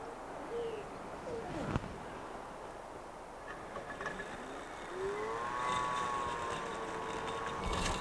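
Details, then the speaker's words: Husqvarna Automower 320 robot lawnmower mowing the main area after start: quiet, steady high whine with a light buzz over birdsong, nothing rough or knocking; normal running. "then it heads off on its mission to mow the entire yard just zigzags around bounces off the edges and covers the whole area as you can hear it's not very loud just sort of makes a little bit of a whining and a buzz certainly not going to annoy the neighbors"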